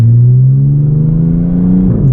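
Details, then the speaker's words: Audi with stock exhaust, muffler delete and cat-less downpipes, heard from the cabin while driving: a deep, steady booming hum that swells with light throttle, drone that is fine at idle but unbearably loud on the road. "And right now, like, just idling, it's not too bad, but as soon as you start driving, that's when she roars. It's just too loud."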